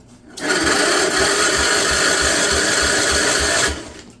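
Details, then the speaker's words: 1958 Wisconsin AENLD engine, off a street sweeper, first start in many years, run on the ground: steady starter churn, about 2.5 pulses a second, never catches; lots of oil in cylinder, flooding suspected; cranking, no start. "weird it's got a lot of oil in the cylinder right flooded it probably let's full choke it again"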